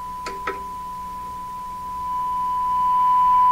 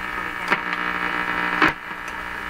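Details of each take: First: 1940s Canadian Red Cross tube radio with old capacitors not yet replaced, during a rough IF alignment tuned to 455 kHz: after two clicks a steady, pure whistle near 1 kHz swells and holds loud and clean, showing a well-peaked IF. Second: 1940s Canadian Red Cross tube radio, still fitted with old capacitors, during a rough IF alignment check with an extra ground added. A constant buzzing hum with crackles drowns out the stations; interference, with weak reception traced to bad IF alignment.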